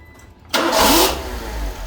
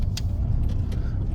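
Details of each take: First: Suzuki Swift after replacing a valve and reconnecting the unplugged mass airflow sensor: starts in half a second, brief rev flare, then smooth even idle; running normally, fixed. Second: Suzuki Swift after fitting a new valve, driving round a roundabout: the engine sags to a low, lumpy rumble and bogs down as it slows, idling down to about 500 RPM; pickup is otherwise improved.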